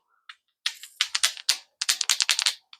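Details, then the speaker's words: Echo blower carburetor being rebuilt, part worked by hand: sharp dry little clicks in quick uneven bursts, meaning the part is worn out; pump diaphragm also bent and flaps not flat. "You hear that little clicking noise? That means that this has seen its good days and it's already passed."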